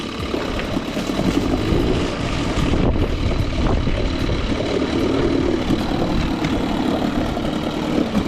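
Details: Older 5 hp two-stroke outboard, a Nissan or Evinrude Angler, after a deep carb clean: a buzzing, fairly steady idle with no misses or odd knocks. It runs cleanly and evenly; normal running.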